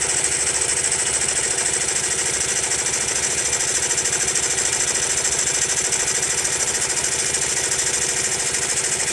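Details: Honda Monkey small single-cylinder at idle: quick, fairly regular light ticking, about three a second; abnormal engine noise persists even after tappet (valve clearance) adjustment, source not pinned down.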